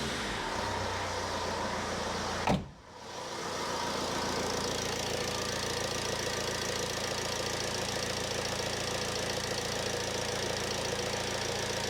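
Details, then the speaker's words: 2007 Ford Transit Connect 1.8 diesel after fuel filter change, possible slight air in system: short rev then steady, even idle with no lumpiness or hunting; normal running. "So next I'll fire it up, make sure it ticks over okay. Sometimes they run a little bit lumpy because there will be a little bit of air in there, but hopefully it's very minimal."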